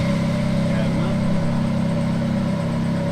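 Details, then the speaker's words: Ferrari F430 being converted to manual, also hard to get into gear: steady drone with a faint constant tone, speed dependent, in any gear with clutch out, gone in neutral; sounds like throwout bearing but suspected transmission itself, unconfirmed. "a weird ass sound that's speed dependent you have it in gear and have it up what does it do is that the transmission itself"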